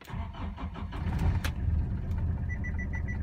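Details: Renault Master diesel after replacing the immobilizer ring decoder (no communication with key, service light blinking): short crank, catches promptly, settles into even idle with dash chime ticking; normal start.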